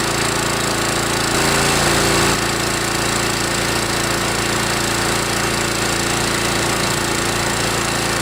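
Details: Kawasaki FC150V 6.75 hp engine on a DR TR-1 walk-behind trimmer, warmed up and revved after carburetor cleaning (plugged main jet) from long storage: steady, even full-speed buzz after a brief pitch change, no stumbling or surging; running normally.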